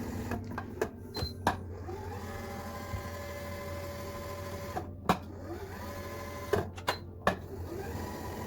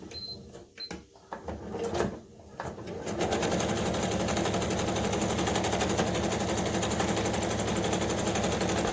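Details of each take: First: Kenmore 385-19550 computerized sewing machine after lubrication and grease service: even soft whir with light needle ticks and occasional clacks; earlier noise almost completely gone. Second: Kenmore 385.19550 computerized sewing machine (made in Taiwan) running fast stitches with a harsh, loud, dry clatter of about four stitches a second; noisy running from lack of lubrication, before grease/lubricant maintenance.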